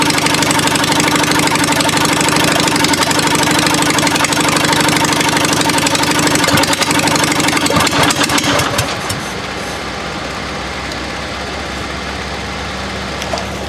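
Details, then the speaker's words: Murray mower with 22 HP twin engine: uneven, lumpy running, firing only on the first cylinder; dead cylinder has spark at the plug wire and a fuel-wet plug but is not burning, bad plug suspected. "this is just like I said it's only firing on that first cylinder we've got it hooked up though I'll let you guys hear it"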